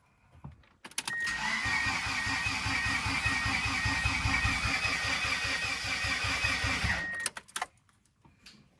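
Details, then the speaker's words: Mitsubishi Eclipse 2G restoration, first start attempt, in park and held cranking: starter spins the engine evenly, about two to three compression pulses a second, for six seconds but never catches; timing to be reset with number 1 at TDC. "Sheesh. Sounds good though. This thing's about to be loud. I'm gonna have to reset the timing again."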